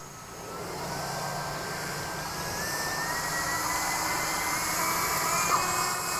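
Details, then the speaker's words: 3D-printed Titan Dynamics Tornado FPV fixed-wing at 100% throttle on the ground: full-throttle motor whine climbs in pitch, then a brief squeal as the propeller slips on the motor shaft, suspected loose shaft nut. "what happened slipping oh it's slipping yeah I heard it slip oh good detection cuz that would have been the same thing yeah yeah did you hear it squealing"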